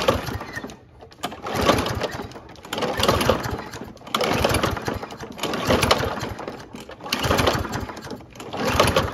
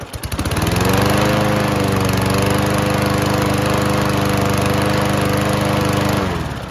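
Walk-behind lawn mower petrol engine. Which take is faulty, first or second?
first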